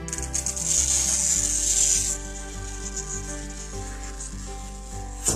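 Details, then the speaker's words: Cheap Harbor Freight glass cutter scoring glass along a sighted line for an octagon: crisp continuous high hiss for about two seconds, the hissing sound of a good score. "So I'm going to listen for a hissing sound almost."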